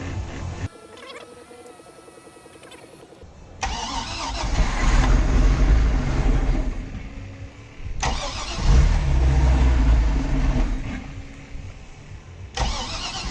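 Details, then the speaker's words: Boat engine on start attempt: catches and revs in surges, then sags when throttle comes off, never holding a steady idle; owner suspects old gas and expects fresh fuel to fix it. "starts up, it runs, it doesn't idle. So if I put some fresh gas in there, it should be good."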